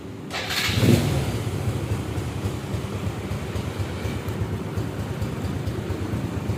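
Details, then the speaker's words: Restored Honda Supra X 100cc motorcycle with custom camshaft; starts and settles into a steady even idle near stock sound, with faint light valvetrain ticking considered normal due to the custom camshaft. "Suara mesin juga mirip-mirip dengan suara standar, nggak terlalu kasar suaranya, walaupun ada suara ngelitik-ngelitik, tapi itu wajar karena memang noken asnya kan custom ya."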